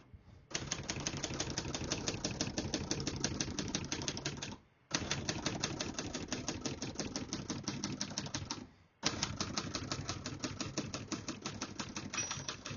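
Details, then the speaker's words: Serviced 1970 Hermes 3000 portable typewriter: crisp, even keystrokes at about three per second in steady runs, with the margin bell ringing near the end of the margin. Every key strikes cleanly and the typing is normal. "Once you hear the bell, you're at the end of the margin."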